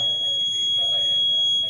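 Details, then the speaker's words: Fire alarm panel sounding a steady high electronic alarm tone after break glass (BG) activation at MTS, zone 2, during fire system training. "Ini BG itu break glass. Ini ada BG. Ini fire alarm."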